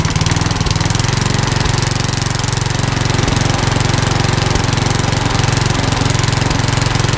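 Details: Old rusty Tecumseh 10 hp HM100 single-cylinder engine after fitting a genuine Tecumseh carburetor and correcting governor linkage: strong, even firing at steady speed, no misses or surging; now runs great, normal running.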